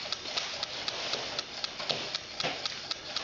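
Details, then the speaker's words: Coaxial hot-air engine with test-tube cylinders heated by flame: light, even ticking of the small mechanism at a steady quick rate, slight squeak from glass tubes touching; normal running. "but actually it's quite nice to hear it run to see a run slowly you can appreciate more of the mechanism it runs quite quickly"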